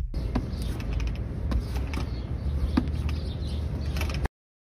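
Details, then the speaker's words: Hand-roll inspection of an AAR Rule 36 rail journal bearing: light scattered clicks over a low rumble as rollers click entering and exiting the load zone; normal roller clicking, not damage. "The rollers at the 6:00 position are not loaded, and if you oscillate, you might feel or hear those rollers click against the cone assembly cage as they change direction and mistake that for damage."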